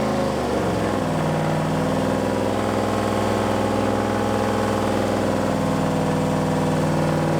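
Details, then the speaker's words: Boosted V8 Malibu, first start after build, at idle: steady lumpy idle with faint irregular ticking and whir from the front; power steering pump noise, owner suspects no fluid despite filling the reservoir. "yeah there's no power steering fluid in it well i filled the reservoir thank you but it's sucked in i'm gonna guess"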